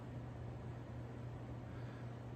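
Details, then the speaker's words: Regency Cabana ceiling fan without light kit, in a basement, on medium speed; steady low hum with faint slow throb and slight wobble, likely from plastic blades and a low-quality spinner motor. "But yeah, this thing does have quite a bit of a hum to it, though, or a vibration. Still does have a bit of a wobble. It's not as bad as before, though."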